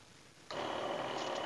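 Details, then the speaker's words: Electric battery knapsack sprayer pump: harsh, rough buzzing whine with weak spray output; diagnosed as a worn pump motor (dinamo), to be disassembled and replaced. "Hai ini saya pastikan dinamonya dan suaranya pun kasar sekali seharusnya suara motornya enggak kayak begini Ini pasti dinamonya"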